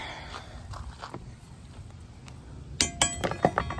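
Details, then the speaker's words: Honda CRF250R dirt bike, hard to start: loose metallic clanks heard only while kick starting or attempting a bump start, no engine running; internal clunk of unknown cause, new clutch assembly and shims ordered. "I don't see it's kind of done a few times to hear that clanking noise I don't know what it is"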